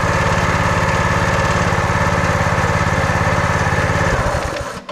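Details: Brute 30-ton log splitter with a Briggs & Stratton engine (roughly 5-6 hp) that wouldn't start, now fired up after repair: the small single runs smooth and even with no misses, then winds down cleanly when the kill switch cuts it.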